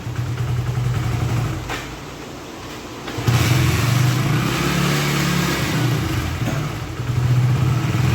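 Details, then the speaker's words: Hero HF Deluxe BS6 motorcycle after fuel pressure was restored: small single starts, blips up once, then settles to a smooth steady idle; the starting problem is solved. "Okay friends బండి అయితే start చేసినాం start అయితే అయిపోయింది బండి high dealing ఉంది"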